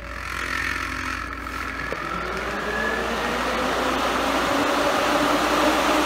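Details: Pair of electric cooling fans for 68-72 GM A-body, bench-wired, switched on manually via negative signal to relay pin six; they whoosh up to speed and settle into an even whir, working normally.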